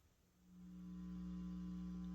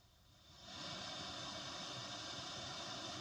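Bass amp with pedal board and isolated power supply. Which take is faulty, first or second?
first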